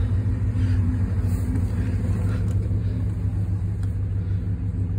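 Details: Ram 2500 at idle after an exhaust leak was repaired with a flex exhaust repair kit, exhaust cement and a tight U-clamp: a steady, low, even rumble with no puffing or ticking from the exhaust, sounding sealed and healthy.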